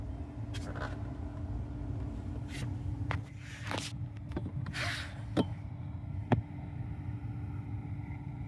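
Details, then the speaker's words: 2019 Hyundai Kona Electric cabin blower after cleaning and oiling the squeaky fan motor shaft: steady low whoosh and faint hum, no squeak or screech. "Nice and quiet. We did it."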